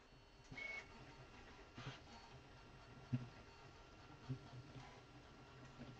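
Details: Creality Ender-3 V3 3D printer printing after extruder jam was cleared: quiet, soft stepper movements with occasional short chirps, no clicking or grinding from the extruder; printer running normally.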